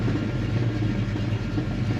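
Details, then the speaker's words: Fox Body Mustang V8, warmed up after fuel injector cleaning and a battery-disconnect idle relearn: low, even idle rumble with no hunting or surging. The idle is steady and not fluctuating. "we'll see it's not fluctuating or doing anything crazy"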